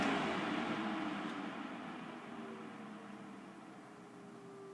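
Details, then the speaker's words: Xpelair 12-inch window extractor fan with pull-cord speeds, switched back to low after high: whoosh and hum easing down into quiet low speed, almost trickle ventilation, normal low-speed running. "it really was low speed in these fans was almost trickle ventilation so you could quite happily leave that on in the background"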